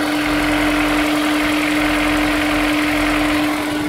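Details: Honda S2000 at cold idle: steady hum with a faint, uneven tapping underneath, roughly three per second; suspected rod knock, not confirmed.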